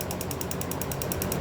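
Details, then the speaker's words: 2011 Chevy Camaro with misfire and intermittent hard start: EVAP purge solenoid commanded with a scan tool ticks rapidly, then sticks and fails around 40–50% duty; blowing through and tapping frees it briefly but it fails again, so it needs replacing. "yeah it just failed all right so being that purge valve failed now let me pull it back off"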